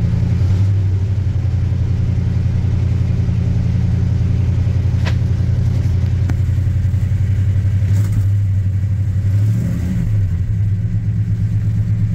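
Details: 1986 Chevy K10 carbureted truck, carb and choke recently tuned, sat about 1.5–2 months in a tarp garage, cold start at about -6°F with pedal pumped once: deep steady rumble settling to an even idle, no misses, knocks or hunting; normal cold start and idle.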